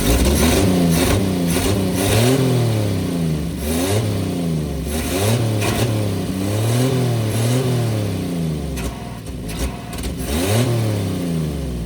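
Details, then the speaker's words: 1954 Chevrolet inline-six revived after two decades, no exhaust and no accelerator pump, pulling fuel: open, raspy six climbing and dropping through repeated blips, picking up cleanly each time; healthy, valvetrain clacking audible, running great. "just no exhaust like usual no exhaust and no accelerator pump so both those are to be expected but damn that's running great"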